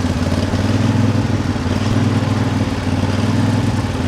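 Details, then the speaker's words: Lawn tractor with an uncleaned carburettor, working and filling a hopper: under load the engine speed rises and falls roughly once a second. The owner will try adjusting the throttle to reduce it and suspects the carb needs cleaning. "Ignore the surging of the engine. I will try to find a happy medium. I think it's possible just by adjusting the throttle."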